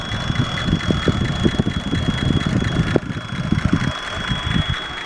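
Rough V8 idle with a thin, constant high whistle riding over it; it could be a vacuum leak, but the cause isn't certain. Cause suspected, not confirmed.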